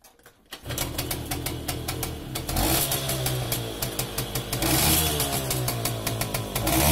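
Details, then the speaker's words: Romet 2375 (Komar) two-stroke moped, non-original replacement carb, fuel tap had been shut, now open: air screw being set by half turns toward 1.5 turns; crisp buzz with quick even pulse picks up cleanly on blips, no stumble. "Co kawałek dam jeszcze pół obrotu. To będzie półtora obrotu. I będę wykręcał i będę sprawdzał czułość reakcji na gaz."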